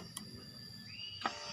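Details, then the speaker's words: Honda Beat injection scooter that suddenly died while riding with MIL code 12 (injector); after key-on the fuel pump's thin electric whine climbs late, then click and steady high hum; delayed priming traced to a weak ECU ground wire. "nah full pumpnya mendengung ya. Nah, ini kan otomatis jalurnya ini ada yang error, kemungkinan ecunya error ya."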